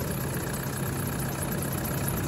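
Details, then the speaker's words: Brand-new 1KD engine in a 2008 Toyota 120 with new injectors, stone cold at about 5°C, idling a minute after start: steady low drone with busy rattle from aftermarket drive belt, timing belt, bearings and pulleys; normal until warmed. "Unfortunately, this one's a bit noisy because it's got an aftermarket drive belt, timing belt, bearings and pulleys."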